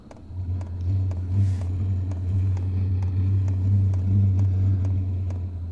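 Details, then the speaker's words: New portable toolbox-size Vevor diesel heater, set to 80, just fired up on its first run after priming empty fuel lines; a little smoke, even low fan hum with steady light fuel-pump ticking about twice a second, normal running. "Just fired up. It'll take a few times. A little bit of smoke. These things are so cool. Can hear a little hum."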